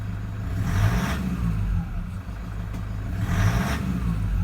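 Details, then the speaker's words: 2008 Toyota Land Cruiser Prado 120, 1KD-FTV diesel, 182,000 km, running about two minutes. Gentle revs: diesel clatter swells and drops back, rough and uneven, "a bit agricultural." Later flat-spots in reverse; fuel pressure suspected. Worn injectors. "a little bit agricultural."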